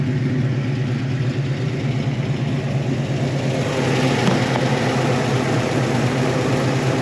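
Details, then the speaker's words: 1972 Chevy Malibu Chevelle SS tribute, 350 V8, mild cam, after tune-up fixed slightly off idle: deep even rumble with light rev blip, no knocks or misfires; normal running. "it runs real good now it ran well before but the idle was off a little bit now it's idling really good"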